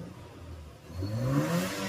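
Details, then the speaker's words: Toyota Innova 1TR, after replacing a dead ignition coil (plus earlier spark plugs and air filter): quiet smooth idle then clean rise in pitch on throttle, no stumble; vibration gone, normal revving. "Oke, langsung normal. Sekarang, tidak ada lagi getaran."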